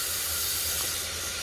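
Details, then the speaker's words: 2001 Buick Century GM 3.1 cooling system under constant-pressure tester after timing cover gasket and water pump repair: steady sharp hiss of air from a leaking radiator tank seam; radiator needs replacing. "i don't know if you can hear that leaking leaking on the other side of the tank"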